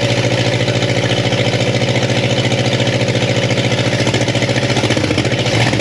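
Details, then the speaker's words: 1962 Chevy Impala convertible with a transplanted 307 V8 and 4-speed, stored outside about 50 years, on a brief first start checking for fuel leaks. Now hitting on all cylinders, it idles with loud fast clacking ticks; crew suspects a sticky valve. "I still think we got a little uh sticky valve issue there yeah it sounds real clacky right yeah yeah and and I was expecting ing that"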